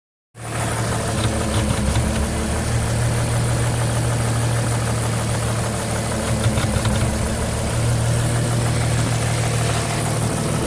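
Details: Porsche Cayenne at steady idle: low hum with an uneven faint ticking running through it; abnormal engine noise, cause unclear.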